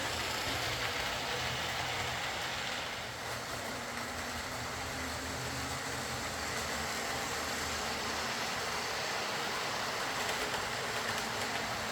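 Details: Old Lima Class 40 model locomotive in BR green, after repair with a completely replaced motorised chassis (original front bogie faulty, wouldn't run): steady even whir for twelve seconds, no catches, surges or ticking; quiet, normal smooth running.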